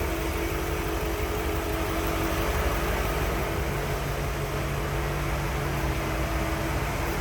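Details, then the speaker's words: 1955 Ford Thunderbird, stock 292 V8, hood open, battery recently replaced: low, even idle with a soft steady burble and no misses, ticks or knocks, very smooth running; normal idle. "First of all, you hear how smooth that thing runs. Very smooth running on 292."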